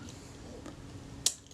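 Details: Kodak Retina Reflex S shutter, reassembled after servicing with a cleaned, graphite-lubricated retard gear train and a new leather mirror buffer pad, tested out of the body: one crisp snap of the shutter releasing cleanly; normal shutter cycle.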